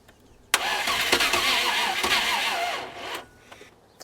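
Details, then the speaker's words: Land Rover Discovery 1 V8 being recommissioned, with the fuel pump confirmed working, an inline spark tester attached and the battery low. About three seconds of steady cranking give a few weak catches that never take. It cranks but won't start; some weak sparks were seen. "k to our original problem the engine doesn't run I'm attaching an inline spark tester I can hear that the engine is trying to fire but this will let us see visually if the spark is consistent"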